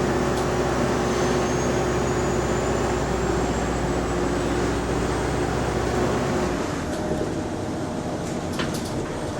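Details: Bus SLN 12340 on route 161, engine running: steady whirring rumble with a thin slowly rising whine. Abnormal noise from the hydraulic cooling fan.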